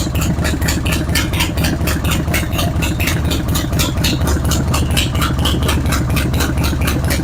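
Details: Harley-Davidson Road King at idle: a sharp, steady tick about twice a second over the loping V-twin idle. It comes from an exhaust leak at the front cylinder's exhaust flange gasket, with carbon built up on the outside of the pipe.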